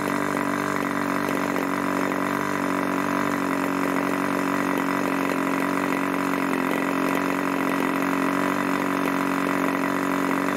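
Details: Irvine 40 MkII 1980s ABC Schnuerle glow engine, 10x6 Master Airscrew prop, 7% nitro 20% oil fuel; steady high-pitched buzz at one even speed, no sag or surging, after low and high needle tuning from rich; normal run.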